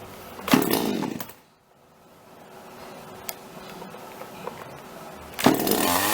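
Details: Toyama TCS46H chainsaw after carburetor cleaning and new intake, idle screw (T) turned down slightly, needles L 1¼ turns and H ~1½ turns: crisp rev bursts climb cleanly and drop back to steady idle without bogging; previous start-then-flood-and-die fixed, running properly.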